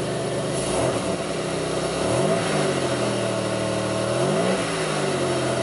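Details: 2002 Pontiac Grand Prix 3800 V6 with rough idle, no check-engine light, alternator overheating and a faint intermittent thumping that pulls the idle down: revs rise and sag unevenly, hesitating as the throttle opens. Bogging on acceleration.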